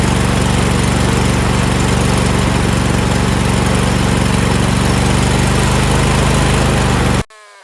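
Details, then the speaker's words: Briggs V-twin on a DLT 2000, first start after four new pushrods (three bent, one missing), a new head gasket and other work: a loud steady run at one constant speed. The throttle does nothing; linkage is wrong and the carburetor seems blocked, with some leakage. "However, the throttle doesn't seem to be controlling anything. Like, I'm moving this stuff around. Nothing's moving."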